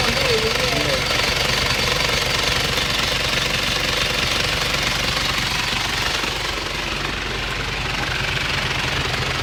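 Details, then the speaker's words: Isuzu Panther diesel with badly worn, loose timing gear and severe blow-by: harsh, rough, rapid uneven clatter over the idle rather than a clean beat, from the worn timing idler gear. "gigi timing nya itu kocak sekali sehingga suaranya kasar sekali"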